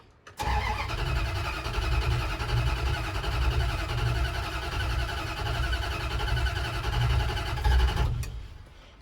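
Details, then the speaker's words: 1977 Dodge D200 360 V8 with new intake and freshly rebuilt carb, distributor vacuum line plugged; several seconds of steady even cranking with low thumping to get fuel into the carb, then engine starts to catch; long cranking before start. "I'm gonna have to crank it for a little bit just to get some fuel up into the carb so"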